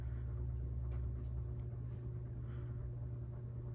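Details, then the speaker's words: 52-inch CEC Newport ceiling fan running with a steady deep electrical hum and rough bearing whir; both the bearing noise and the buzz grow louder the longer it runs. "Yeah, this thing has got quite a hum to it as well. It gets louder the longer you run it. Both the bearing noise and the buzz. You can definitely hear the humming coming from it."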